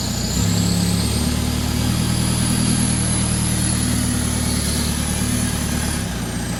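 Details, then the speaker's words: VW MK4 Jetta TDI (BEW) diesel with 09A automatic after a reverse fix, turning the steering wheel at standstill; steady diesel running with a faint low hum rising over it. Power steering pump complaining about dry turning. "the power steering pump don't like dry turning"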